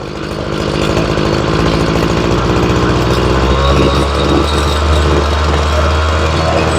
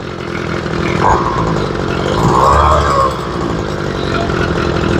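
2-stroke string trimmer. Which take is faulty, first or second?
second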